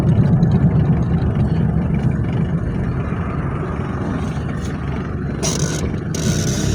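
Loud, low diesel rattle with a steady clatter rising under acceleration, rough but even; a healthy diesel pulling cleanly.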